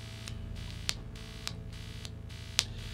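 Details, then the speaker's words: Electric P bass with a steady low mains hum with a buzzy edge that stops when touching the bridge or strings: poor grounding or interference, fixed by copper shielding tape in the electronics cavity. "so if your base sounds like this but stops when you touch a piece of metal like the bridge or the strings then you've probably got grounding"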